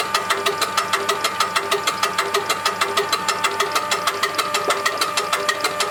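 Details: Diesel engine tested after repair and adjustment, second part: crisp, evenly spaced diesel beat at a steady pace with no misses or stray knocks; running clean and healthy.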